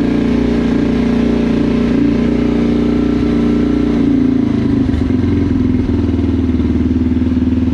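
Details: Yamaha TTR230 morning cold start after sitting overnight, following a full carburetor cleaning (pilot jet, main jet, floats, needle valve, choke): single-cylinder thumps at a steady, even idle with the choke on. It runs clean, hard start fixed.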